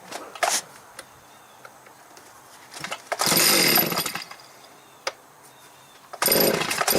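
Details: Stihl 029 chainsaw after its broken clutch springs were replaced: two sharp throttle blips rise to a clean, high scream and drop back to a quiet, steady idle. The saw revs and idles normally.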